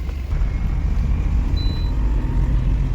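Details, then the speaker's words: Tata Intra V10 on road test after rear differential pinion repair (previously loud whining from rear axle, pinion play); steady low road rumble, no speed-rising whine or clunk, no jerks; differential now normal. "ਹ ਦੋਸਤੋ road ਤੇ ਆ ਗਏ ਆਪਾਂ ਗੱਡੀ ਤੇ ਗੱਡੀ ਦੇ ਵਿੱਚ ਹੁਣ ਕੋਈ ਵੀ ਡਿਫੈਸ਼ਨ ਦੀ ਵੀ ਕੋਈ ਵੀ ਪਿੱਛੋਂ ਰੀਅਰ ਆਵਾਜ਼ ਨਹੀਂ ਆ ਰਹੀ"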